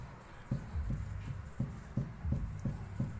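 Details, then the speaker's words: Car front suspension check with the arm rocked by hand: dull low clunks, roughly three a second, from play in a worn ball joint. "bu hem içeriye doğru büküm sağlıyor hem de bozuldu için bu bozuk kısmı ses yapıyor"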